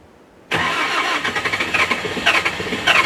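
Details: S530 skid steer with electrical issues, newly installed battery, cold start in snow: engine cranks with a quick uneven chug and won't catch for several seconds; seems to need fuel priming; long crank, hard cold start.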